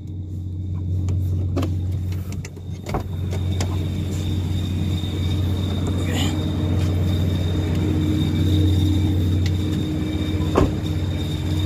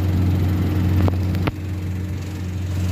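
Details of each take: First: Car idling: low steady rumble with faint intermittent whistle that disappears when clutch pedal is pressed; loose clutch cable, fixed by tightening/adjusting the cable. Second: Car idling after adjusting and tightening the clutch cable to cure an intermittent whistle that vanished when the clutch was pressed: steady low even hum, no whistle, a couple of brief handling knocks; normal idle.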